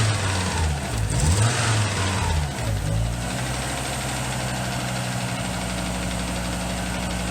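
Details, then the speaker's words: Audi after new timing belt, water pump and hydraulic lifters, idling: light rhythmic tapping about three times a second, no misfire; owner suspects distributor shaft moving when its gear loads, possibly missing spacer, or a bearing. "you're just making a knocking noise and it almost sounds like it's coming like it's like bearing or something like that the shaft is moving every time"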